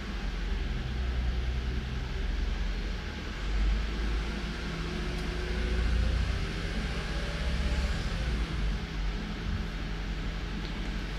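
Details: Toyota Avalon petrol V6 idling cold with a low, uneven rumble and occasional surges from an intermittent misfire that fades when warm; injectors checked by oscilloscope, cylinders one, two and five misfiring.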